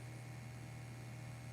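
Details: Ventis MX4 gas monitor sampling pump running after power-on and sensor check; steady even low hum, constant pitch, no surging, running normally.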